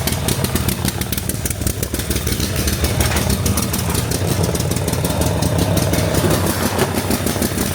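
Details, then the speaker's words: 2005 Snapper ZTR mower, 1,500 hours, new carburetor fitted, running rich: idles rough, then speed creeps up and surges, revving high even on choke; owner suspects throttle and governor linkages are reversed. "It's going slow, speeds up. Still revs to the moon. And now choke. Oh my God. So I think these are reversed."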